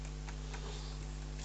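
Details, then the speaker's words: Wood lathe hand-turned at the start of rough-turning a large, wobbling tree-section hollow form; a few faint, spaced ticks over a low room hum as the workpiece rubs on the banjo at one spot. "there's a slight rub you hear it rubbing as I'm as I turn it on that click in because it's just a little section of"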